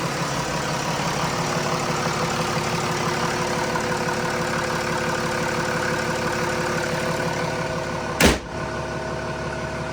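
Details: Mercedes E320 CDI turbo diesel, $600 project car, started after reassembly with air filter and housing refitted and oil added, fired right up: even, steady diesel clatter at idle settling smoothly, no misses or knocks; healthy.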